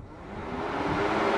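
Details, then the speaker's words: 2009–2018 Ram 1500 5.7 Hemi, new electric backup/AC condenser fan powered directly through jumper leads at its plug: strong, even airy whoosh with a steady hum building as it spins up; fan good, the fault lies elsewhere. "hear that fan hear how much stronger that fan sounds it's as simple as that so that tells me that my fans are good"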